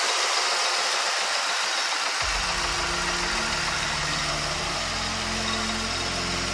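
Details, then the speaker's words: 2003 Mercury Grand Marquis with swapped 2005 4.6-litre V8 from a GT, reflashed Mustang computer: short crank, then catches into a smooth, even idle with steady low rumble and no knocks. "Let me turn it on so y'all can hear what it sounds like. Look at that sucker purr."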